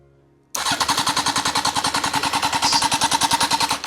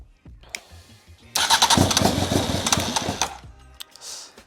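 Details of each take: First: Honda Fireblade motorcycle engine for a kei truck, after fixing a tampered wiring loom, kill switch off: starter engages sharply and spins the engine about three even pulses a second for three seconds; normal cranking. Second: Honda Fireblade motorcycle engine fitted in a kei truck, first start attempts: starter whirrs, engine catches and roars under two seconds, then dies as soon as cranking stops; cause suspected, not confirmed.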